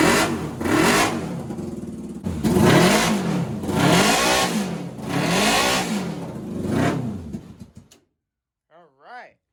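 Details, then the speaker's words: NasKart after misfire diagnostics, freshly fueled, fuel pump on, started without touching the gas: it catches and revs cleanly in repeated rises and falls with no popping or stumbling; normal, smooth running. "So guys, this thing definitely feels so much smoother."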